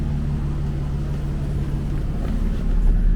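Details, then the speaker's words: Nissan 350Z HR after gallery gasket replacement for low oil pressure, boiling hot after a drive: low steady even idle with radiator fans whooshing; oil pressure sitting about 20, seen as low as 15, normal. "So there we go. Car's boiling hot and it's sitting just about 20."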